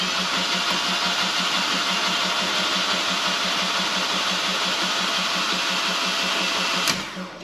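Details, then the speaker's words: Fiat 500 TwinAir with a fresh replacement engine, oil light on, spark plugs out and fuel pump relay removed: cranked in short bursts with an even starter whir, quick regular pulses and no firing, to build oil pressure. "so really i think i'm just going to try cranking it and just keep going in short bursts still until that goes away"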